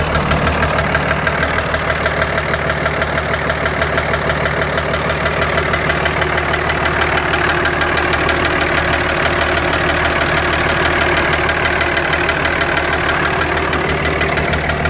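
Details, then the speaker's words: Dodge Ram 2500 5.9 Cummins at idle, cover off, number one injector disconnected; sharp regular knock about three per second over clatter, barely quieter; owner suspects another injector failed from heat, unconfirmed; diesel engine knock. "it's quieter but not by much so I think I may have another injector gone bad as well from the heat"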